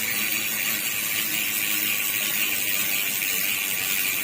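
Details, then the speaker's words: Dual-spring star-ratchet freehub while coasting: fast, dense soft clicks blur into an even high buzz. This is the normal sound of a dual-spring star-ratchet freehub, which is not very loud because the spring absorbs vibration. "At dito naman sa single spring type, ito yung nagpro-produce ng mas maingay na harmonics. Kapag pumitik kasi yung star ratchet ng freehub, dito sa naka-fix na star ratchet, nagba-vibrate yan."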